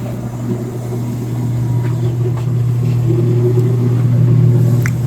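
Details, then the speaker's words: Motor after a shorted 24V control circuit, with the faulty drive replaced by a new one: a steady, even low hum with no crackle, buzz or stutter; the motor turns normally after the repair. "네. 잘 되고 있어요. 이거는 삥삥삥삥. 잘 돌죠."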